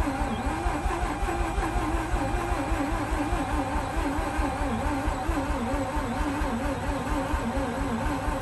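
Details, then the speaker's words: Mazda RX8 with a slow starter spin, after spraying and loosening a seized pulley: fast, even starter whirr with no firing; cranks briskly but won't start. "as you could see guys it is spinning so much faster uh the very first time i tried cranking it over after taking some time obviously it spawned really fast"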